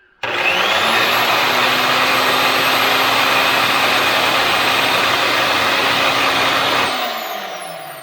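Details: Old Craftsman table saw motor without blade or dust cover spins up to a steady high whirring hum with a faint tone, then coasts down; something was thrown out, cause unclear.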